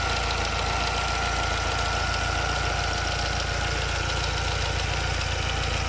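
Steady idle carrying a harsh, gritty grind and a thin high ring over a fast regular beat; there's a grinding noise, cause unknown.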